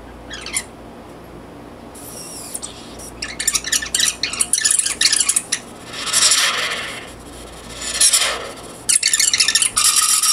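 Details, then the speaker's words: Panasonic RX-5110 boombox with noisy controls: irregular scratchy crackling bursts break into the audio while the volume knob is worked, typical of a dirty, worn volume control. "the volume is messed up on mine just like it is on your little video"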